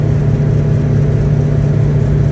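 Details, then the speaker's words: 1984 Toyota Tercel SR5 (ThunderBucket) at 70 mph on the highway after its long-missing muffler was replaced; in-cabin steady, even low drone with no rasp, rattle or blowing, quiet enough to think; normal highway cruise. "Oh man, I'm literally doing 70 right now, and I can hear myself think. I can enjoy my Mountain Dew in peace."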